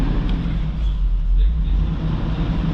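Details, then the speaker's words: 2003 Hummer H2 V8 at a parts yard engine test: a deep, steady low rumble at idle with no knocks, misses or surging. Smooth, even idle. "motor's running great test out all these windows while we're here"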